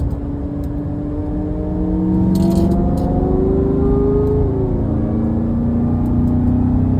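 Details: Chevrolet Corvette C7, 6.2 L V8, at 0% oil life, at highway speed: loud siren-like whine over road and engine drone, pitch drifting with road speed; rear differential suspected, possibly cooked, not confirmed.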